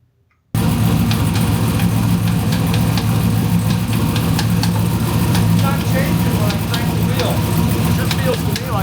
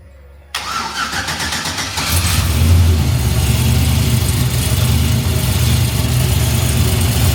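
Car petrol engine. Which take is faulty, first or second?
first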